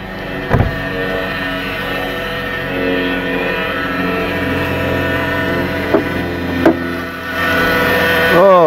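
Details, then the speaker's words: Dodge Caravan cold start first thing in the morning, 62TE transmission: steady high whine with several even tones over idle, not power steering; transmission front pump whine. "ladies and gentlemen that is not a power steering noise okay"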